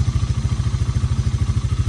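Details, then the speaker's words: Early-1990s Honda FourTrax TRX300 ATV, auction machine revived with new carburetor and battery, idling: even deep thumping at about twelve beats a second, no misses or clatter; smooth, healthy single-cylinder idle. "well I just took it for about a 15minute ride and this thing is running perfect this thing is running perfect"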